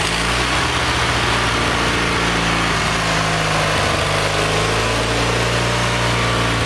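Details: Kohler Magnum 20 after a carburetor rebuild, mixture eased in at operating temperature. Fairly even, buzzy single-cylinder run with no sputter or hunting. The engine, about 40 years old, probably needs a valve job.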